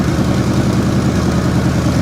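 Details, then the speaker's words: 1960 Chevrolet Impala that sat for years, warming up at idle after a surging and fuel-dripping fix: loud, dense, uneven burble with lumpy low rumble, some smoke and exhaust popping; running rough but coolant starting to circulate. "smoking a little bit she's farting a little bit but hey what do you want what do you expect"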